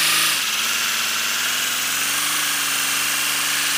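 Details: First-build 3D-printed PLA V12 model engine on compressed air, freshly lubricated, no exhaust port yet: steady, even buzz with a constant low tone under loud air hiss; spinning smoothly.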